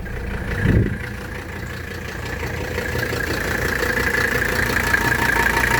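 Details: 1985 Mercedes 300D (W123) diesel, 18,000 miles, cold engine in warm weather after a brief glow plug cycle: catches quickly and settles into a steady, even cold-idle clatter, no misses or knocks; healthy.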